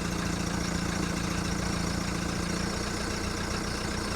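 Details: VW Golf mk1 1.9 TD turbo diesel warming up after first cold start following 5 months storage: uneven lumpy idle, loose knocking rhythm over low rumble; rough cold idle.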